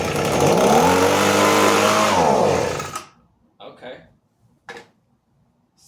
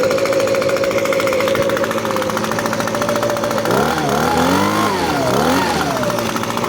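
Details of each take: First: Echo ES-250 leaf blower/vacuum, carburetor and spark plug already replaced by the seller: two-stroke revs for about three seconds, pitch sags, then cuts out; starts and dies because the safety interlock switch isn't properly depressed. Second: Echo ES-250 leaf blower vacuum, cold-started and running after tuning; earlier non-start traced to a safety interlock switch not being properly depressed. Crisp, even two-stroke buzz holding steady, revs cleanly through a throttle blip, then winds down: normal running.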